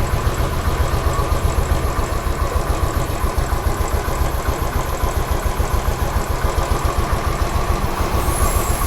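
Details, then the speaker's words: Royal Enfield Standard 500 fuel-injected, bank angle sensor confirmed as the fault and temporarily tapped into place, needs replacing; steady even single-cylinder idle thump, three to four beats a second, no misses: normal idle. "ഇപ്പൊ correct ആയിട്ട് നിൽക്കുന്നുണ്ട് ഇപ്പൊ correct ആയിട്ട് നിൽക്കുന്നുണ്ട് വേറെ കുഴപ്പമൊന്നും ഇപ്പൊ ഇല്ല"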